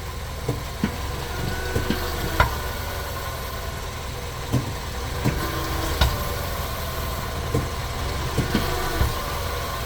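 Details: 2019 Nissan Sentra: sharp, irregular clunks over a steady low idle when shifting into reverse.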